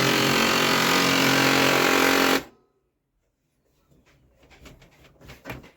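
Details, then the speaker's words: Canon LBP 2900 laser printer while feeding: loud harsh grinding chatter cutting off sharply when it stops. Worn clutch gear inside the printer's side gear panel. "य जो problem है इसमें अंदर gear का problem है"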